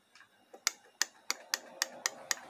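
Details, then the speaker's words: 6T40 six-speed automatic transmission solenoid (Holden/Chevrolet, fitted to a Cruze slipping in 2nd and 6th), bench-tested at 10.5 volts: crisp, even clicks about four per second with a clean snap each time; solenoid operating normally. "you can hear that actually working. Yeah, you can see it's working as it should."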